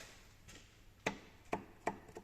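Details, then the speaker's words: VAG transverse petrol engine (Skoda Octavia/VW Jetta type), warm: light ticks about twice a second from the right front. The purge valve cycling vacuum flexes the fuel-tank vent tube, which knocks against the body inside the rail. "трубка подключена к электроклапана который создает разрежение в трубке и клапан открывается закрывается и периодически соответственно трубка повторяет открытие закрытие клапана"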